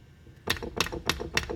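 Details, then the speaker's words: 2008 BMW X3 old transfer case, removed, spindles turned by hand: sharp light metallic ticks about three times a second from the chain slapping the case housing, causing popping under acceleration; replaced with a 94,000-mile used unit. "this truck had a popping sound under acceleration, and this is the old transfer case, and you can hear it if you listen quietly. You can hear the chain slapping the case housing"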